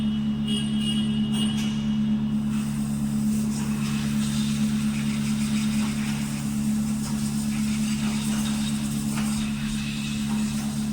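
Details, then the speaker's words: Renault Kwid petrol engine that had P0313/P0313 low-fuel misfire codes, after a clogged filter was cleaned: steady even idle hum without stumbles; misfire apparently solved, check light off, only an alternator code remains. "बाकी हमारी वो problem शायद solve हो गई है"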